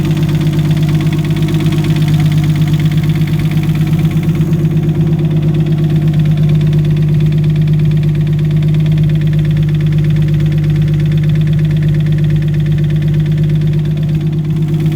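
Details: Nissan RB25DET idling with a deep, steady knock underneath, then a few quick revs; suspected rod knock, not confirmed.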